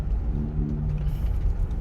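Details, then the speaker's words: Rear-wheel-drive Sorento turning right, with steering-wheel vibration and no noise turning left: low droning hum over road rumble; mechanic diagnoses worn hub bearing loaded as weight shifts left in right turns. "막 우욱 소리가 나죠. 핸들까지 진동이 오면서 옵니다. 이것은 허브 베어링이에요."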